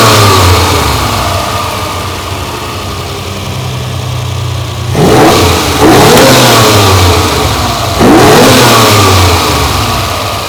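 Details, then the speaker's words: Ferrari 330 GTC carbureted V12 just after the idle mixtures were set and the carburettors synchronized with the adjusting screws, idle speed lowered evenly. Smooth even idle, then three crisp throttle blips; well balanced and perfectly tuned. "that is beautiful there we are perfectly tuned Ferrari V12 no electronics just synchronization with adjusting screws"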